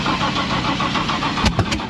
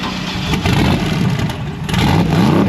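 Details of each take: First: Mustang drag car V8 that shut off with a massive backfire on a test pass and would not refire. The starter spins it with a quick, even chug and a couple of pops, but it never catches; logs point to a sensor problem. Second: Race Mustang V8 after a failed cam sensor, cam sensor disabled by switching to batch fire. Catches quickly, blips up and settles into a strong, steady lopey idle with no misfire: running properly.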